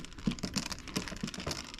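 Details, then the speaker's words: 1927 Victrola VV 4-40 talking machine spring motor being moved during disassembly, spring seemingly unbroken but sprockets not moving: uneven dry clicking and clattering; internal rattle from a loose part, cause unconfirmed. "hear a rattle, so something's loose inside there."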